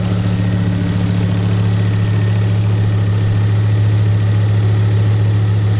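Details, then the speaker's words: Ford Focus ST after a turbo refurbishment, cam belt replacement, major service and a bigger intercooler: a smooth, steady low idle with an even hum and no knocks or ticks, settled down after the cold start. Healthy. "that's it died down from the cold start as well isn't it yeah I thought that was a success"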